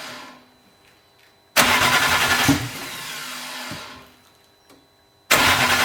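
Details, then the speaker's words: BMW E81 drift car, six-cylinder swap on an RM Primis ECU: it would not start on contaminated tank-bottom fuel. After about 10 litres were pumped out until it smelled of E85 and the hoses were refitted, it catches, dips, then fires strongly. "Eli sit letkut takas paikalleen josko se sit lähtisi käyntiin."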